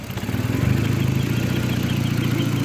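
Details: VW Mk4 after battery relocation to the trunk, known vacuum leak: engine climbs briefly after starting, then settles into a steady, even low idle pulse with no stumbles; running fine.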